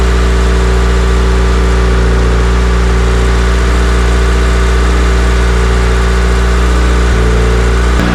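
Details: Ignition-on idle of the new Vitara-built D16 turbo engine in a budget EK Civic, laptop connected, coolant warmed only 1–2 minutes, intake air 22°C: steady, even drone well above normal idle that never settles. Engine idling high, cause unknown.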